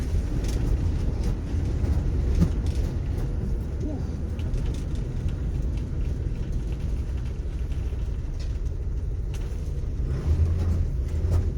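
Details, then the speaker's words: Mercury Cougar being restored, engine needing a tune-up and carburettor overhaul: rough, lumpy, shaking rumble with stumbling beats while driving, running on only a couple of cylinders; misfiring, cause not confirmed. "Oh, she's shaking good now. Oh, she real happy. She's running on just a couple cylinders."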